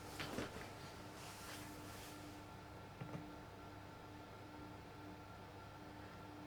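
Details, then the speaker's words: Astor Aladdin Prestel valve radio, no cabinet, powered up slowly on a dim-bulb tester at about 180 V before going to 220 V: faint irregular crackles and sharp pops over low mains hum as valves warm; it did this before; cause not yet traced. "it's crackling and popping. Yeah, it did do this before."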